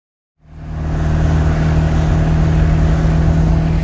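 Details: Dodge Charger started with a jump starter catches instantly and settles into a smooth, even idle with a steady deep hum and no knocks or misses. Healthy idle.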